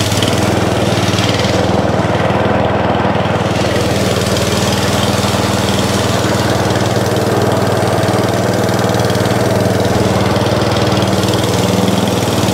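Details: Atco Balmoral mower bought as spares or repair for not starting, now running on throttle: loud, steady single-cylinder chug at an even pace with no misses or knocks, running properly; the drive still does not work.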